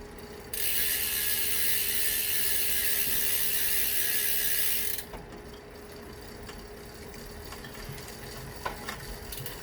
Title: Rear wheel clicking sound